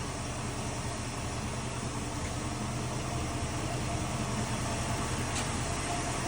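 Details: Plymouth Duster, Mopar Slant 6 225, just started cold on the key after rewiring: steady, even low rumble, no misses, knocks or ticks; normal idle.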